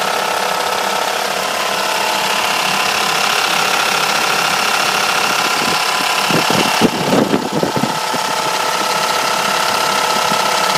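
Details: Mercedes W210 E430 V8 at idle: steady idle with a loose, irregular rattly clatter over a hissing top end and a brief clunk midway; owner unsure whether the generator, another pulley, the chain tensioner or low oil level is to blame.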